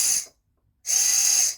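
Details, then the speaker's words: RC crawler motor, bought new around September, run with tape removed: two short bursts of harsh hissy high-pitched whirring, jumpy at low speed; owner thinks bearings are shot. "sounds horrible. I think the bearings are about shot."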